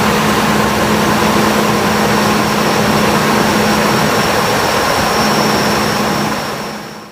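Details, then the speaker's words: 1998 Ford Expedition (ex-police SUV) at idle after replacing the chirping idler pulley, both belt tensioners and the serpentine belt: steady even hum, the earlier chirp is gone, belt drive sounds healthy. "now as you can tell in the previous clip the noise that was chirping at the beginning of the video is now gone and that's because we did replace that idler pulley"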